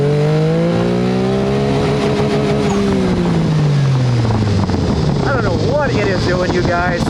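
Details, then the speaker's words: Turbocharged EFI car on street tires running stock Mitsubishi Mirage coil-on-plug coils: makes no boost and won't rev, perhaps about 80 hp. Revs climb, then the note turns ragged and stops pulling; misfire under boost suspected, ignition being diagnosed. "so I'm not getting any boosts and it will not even rev up it won't even rev with low boost"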